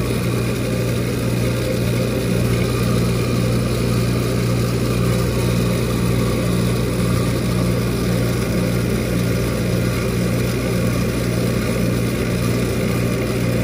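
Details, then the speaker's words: Walk-in cooler condensing unit at switch-on, before gauges were connected. Steady low hum with a rough, uneven rumble; the condenser fan motor sounds terrible, cause not confirmed; the unit was later changed out. "it turned on you can enter fan motor sounds terrible I need to gauge up on this thing"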